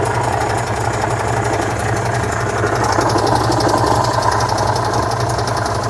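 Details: 1966 VW Type 3 Fastback air-cooled flat-four just fitted with new dual single-port 34 carbs replacing the factory carbs: steady, even low putter at constant idle, no misses or knocks; normal idle.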